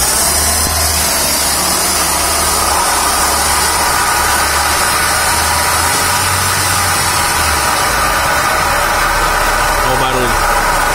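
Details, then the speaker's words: Audi A3 1.8 20v turbo 180 hp, wheels spinning at about 100 km/h in neutral: steady low hum and rushing drone, like skateboard wheels, from worn wheel bearings on both sides. "esse barulho aqui. Nas duas rodas. Faz aí. É o barulho de rolamento mesmo. Faz. D. Barulho de skate, igualzinho."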